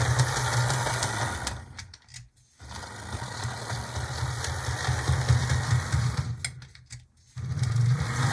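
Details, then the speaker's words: HO locomotive (Proto 2000 S1 or Atlas GP35) after oiling: a small motor whirs with a faint, uneven click about twice a second from the front truck. Gear clicking; gunk in the gear suspected, not confirmed. "I'm pretty sure I still hear the clicking in there so yeah I think I'm gonna need to go ahead and take it it's definitely from coming from the front truck that's where I can determine things are coming"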